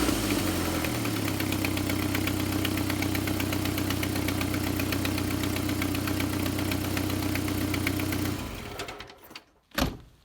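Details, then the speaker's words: Jeep Wrangler TJ, cold idle in early spring: quick regular ticking puff about four per second until shutoff, from exhaust manifold blowing at the rear; not the timing chain. Exhaust manifold leak. "what you're hearing is that a dog manifold way at the back is blowing by on the back end so that's definitely going to tackle"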